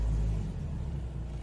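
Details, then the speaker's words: Toyota Etios automatic, held in Drive on the brake and revved after replacing the belt tensioner and belt: deep, even rumble with no squeal or rattle from the belt side; the earlier noise is gone. "interferência do barulho acabou o barulho tensor de polv eu troquei o tensor e a correia né para feisar troquei lá os dois tá aí resolvido o problema aí ok"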